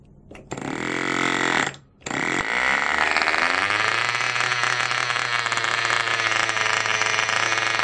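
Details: Cox model diesel mini generator after re-priming and lowering compression: a few sputters and a brief stall, then it catches and settles into a steady, even high-pitched buzz; clean start and smooth run, though owner notes flywheel out of balance.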